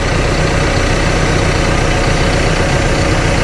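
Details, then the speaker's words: Cat TL1055C telehandler diesel, warmed up after a turbo replacement and oil change: a loud, even idle with a steady low throb and no knocks, whistles or surging; the engine sounds healthy. "make sure everything is working right I'll let it run for a bit and warm up okay so this guy's been running for quite a while now"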